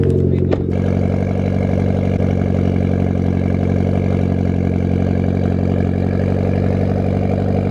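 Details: Mitsubishi Evo X, ice-cold start with the check engine light on: cold idle with a faintly uneven, stumbling beat; owner suspects a misfire, possibly spark plugs, not yet confirmed.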